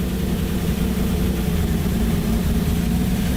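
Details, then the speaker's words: Datsun 280Z first start after engine rebuild, on jump box: steady even low idle with deep exhaust drone and no knocks; it seems to be running a little bit rich. "all on its own like it's running a little bit rich"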